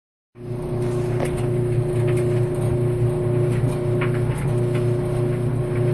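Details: Maytag Maxima XL dryer grinding once warmed up: loud, steady drum rumble with a droning tone and scattered scraping ticks; a service technician reported hearing nothing.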